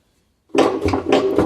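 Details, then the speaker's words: Samsung washer-dryer with a broken drum shaft: the loose drum, rocked by hand, shows large play and gives loud metallic scraping knocks at the rear and sides, the typical broken-shaft sound. It can jam against the plastic tub. "tá solto e o barulho ele é bem característico do eixo raspando lá atrás ó podemos ver também a folga que fica é uma folga grande e quando gira ele fica batendo batendo e raspando aqui nas laterais"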